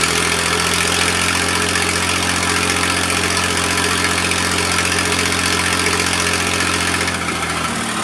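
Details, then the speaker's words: Massey Ferguson 2244 tractor, fresh Perkins 3-cylinder diesel, first start in five years, cold: steady even idle clatter with no knocks, misses or hunting; engine sounds healthy. Hydraulic clutches failing, separate issue. "well the old fella still doesn't sound too awful bad like i said the engine is fresh"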